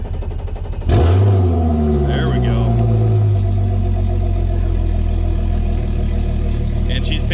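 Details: Tracker Targa V18 outboard, first start of the 2020 season after Bass Pro winterized it, fuel gauge reading less than full. Catches quickly after cranking, flares up in revs, then settles into a steady, even run; normal cold start after storage.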